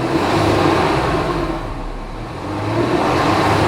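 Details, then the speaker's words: Truck engine bay after serpentine belt replacement (new Gates belt swapped for a Continental), following a noise that began after a radiator job: revs up and settles cleanly with no squeal or chirp; normal running. "not making the noise nice so i guess that was the issue the belt the bell was not not good for some reason even though it's a brand new valve from"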